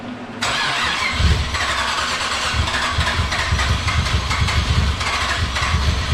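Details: Nissan G35 with a VH45 engine swap and a converted fuel rail, at first start after three months, run briefly with no cooling: it catches and settles into a steady, even idle with light blips under loud blower-fan hiss; sounds healthy.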